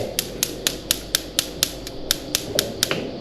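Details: ASKO gas cooktop igniter clicking continuously, sharp evenly spaced spark clicks about four a second that never stop; typical fault when a switch harness is inside.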